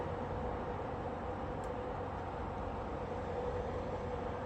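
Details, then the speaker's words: Midea portable A/C in heat mode in a cold roughly 60–62° room: smooth constant fan whoosh with faint steady tone, no compressor hum underneath; compressor shut off while fan keeps circulating cold air, cycling off and on, fault unknown. "but uh whatever was creating the heat is shut down the compressor you can hear that it shut down so obviously something is wrong"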